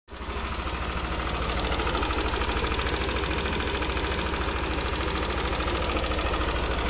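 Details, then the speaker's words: Yamaha NMAX scooter idling with a light, regular top-end tick about three per second, still faint but present; cause not yet pinned down before the engine was taken apart for repair. "Okay so yun yung tunog niya hindi pa naman kalakasan pero meron ng konting lagatik"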